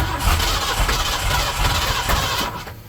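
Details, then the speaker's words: 1977 Ford with turbo 351M, after MSD box install, battery about 12.5V: cranks and nearly catches with rough uneven bursts, then dies away; owner suspects a carb backfire. "hmm that sounds like a card back fart that smells like a card backfire"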